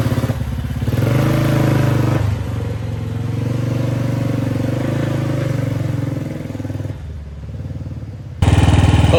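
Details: 1955 Velocette single, revived after sitting over 20 years, started with an open air box: loud slow thump about four beats a second, rising and settling with the throttle; running and pulling normally.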